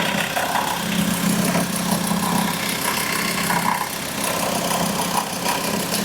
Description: Today we have a look at a VW that growls at idle. The cause is the alternator's overrunning pulley (OAP).